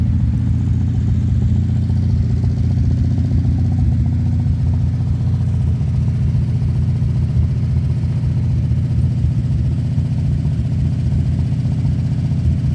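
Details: 1963 Ford Galaxie 500 convertible barn find, 289 V8, first start in 30 years: loud, low idle with faint, uneven light tapping from the top end. Valve train ticking; owner hopes lifters are just stuck and may run automatic transmission fluid to free them.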